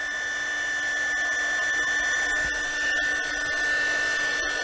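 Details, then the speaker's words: KAIWEETS KEH01 mini heat gun, 220 V, 450 W, on first power setting: steady airy rush with a thin constant whistle and slight vibration, noise not loud but a slightly strange sound; unusual fan noise, cause unclear. "есть лёгкая вибрация шум не такой уж и большой м немного странный звук"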